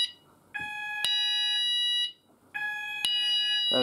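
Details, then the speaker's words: Apollo XPander house fire alarm system test 3, "sound group all" pressed at the panel so the landing and bedroom sounders go off together; loud two-tone electronic alarm bursts, a half-second pause, then resumes, sounders operating normally. "so i'll go ahead and um uh press all so we can hear all of them go off together so yeah let's go and press all so sound group all and it should all go off"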